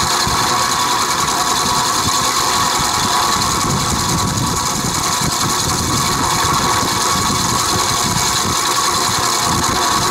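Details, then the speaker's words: Vintage Penncrest (rebranded Lakewood) 3-speed 20-inch box fan on low, bearings soaked in WD-40 and oiled repeatedly: uneven rattling clatter under airflow hiss; no motor play, blades tight, good spin-down; owner suspects worn bearing groove, cause unclear. "when it runs it's rattling it's noisy i've oiled it several times before the noise doesn't go away so there's no play in the motor you know it's nice and tight so nothing's loose"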